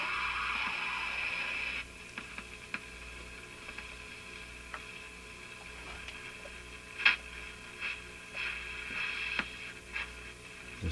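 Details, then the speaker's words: Northern Electric Model 8508 "Midge" five-tube radio at first power-up, still warming up: faint hiss and static broken by sharp irregular pops and clicks; owner suspects a tube contact problem. "some pops and clicks going in it. Yep. I can hear that operation change slightly too when a little pop or a click."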